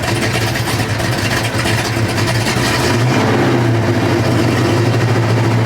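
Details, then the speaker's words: 1970 Pontiac LeMans with built 455 V8, X-pipe exhaust, warm, revved: uneven lumpy exhaust beat with an occasional stumble; faint intermittent misfire, felt on the driver's side but cylinder and cause not pinned down. "I'd say it's this thing. That's what it sounds like. It sounds like driver's side."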